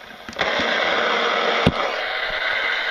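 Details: Third-party netbook power adapter plugged in near an AM radio clock tuned to 612 kHz: loud steady hiss and buzz swamps the radio instantly; the adapter radiates interference, found disrupting the internet.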